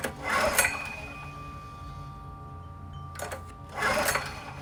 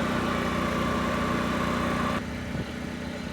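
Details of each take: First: Generac LP3250 propane generator, about 7 years old, first start, after choke and primer attempts flooded it: engine surges and sags unevenly, hunting; owner thinks excess propane had to dissipate, regulator and carburetor seem to work. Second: Generac LP3250 propane generator, about 7 years old, after regulator repair, choke off: steady even drone settling to a slightly lower note partway, no misses or knocks; running smoothly, 119 V 60 Hz unloaded, about 58.4 Hz loaded.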